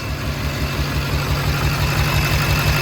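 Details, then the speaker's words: Duramax LBZ diesel in a HMMWV Humvee, just after first start with new FASS fuel system, checked for leaks: steady, even idle with regular low throb, no smoke, no fuel leaks, no exhaust manifold puffing or ticking; healthy. "just looking for leaks I don't see anything on the anything on the fuel no smoke I don't hear any exhaust leaks"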